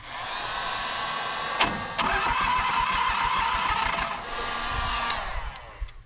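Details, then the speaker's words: Toro Groundsmaster 223D diesel mower, abandoned for decades: cranking after glow plugs with a heat gun warming the intake; starter churns quickly and evenly but never catches; low compression, won't fire. "this thing's probably not going to go, I guess."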